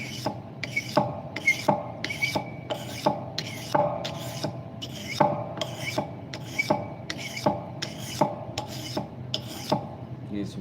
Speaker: Hear that little squeak? That's from the rollover coming back like a scraper. That's what that squeak is.